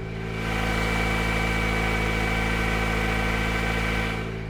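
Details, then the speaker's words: 2007 Toyota Corolla engine running without its plastic cover after seized handbrake was freed: steady, even petrol idle with a smooth hum and no knocks or ticks; front clunking, suspected wheel bearing, is separate. "I think the engine of this thing sounds pretty good"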